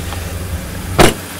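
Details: Audi S3 TFSI idling after replacing a slightly rattly cam timing chain and reconnecting the vacuum lines: a low, even hum with a steady beat and one brief clunk partway through; it sounds smooth and settled.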